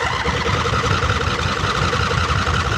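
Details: 2008 John Deere Z425 zero-turn mower: old fuel drained, fuel filter, battery and spark plugs renewed; engine runs steadily on choke with an even, slightly rough putter and no misses, started and running properly.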